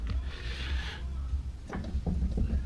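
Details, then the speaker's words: 2004 Dodge Stratus coupe, rear wheel rocked by hand: loose dull clunking from a worn-out rear wheel hub assembly, to be replaced. "definitely hear it clunking around there so we are going to swap that out"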